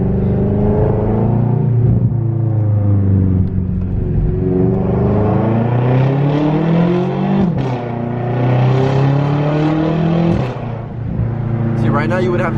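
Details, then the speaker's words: BMW F10 M5 after a wastegate-rattle mod: deep, even drone through throttle and lift-off, with no rattle on deceleration or downshifts. Rattle is about 90% reduced. "you would be able to hear a lot of wastegate rattle, but I hear nothing at all. It was literally every time you would decelerate, or like every time you would let go of the gas, you can hear the wastegate rattle."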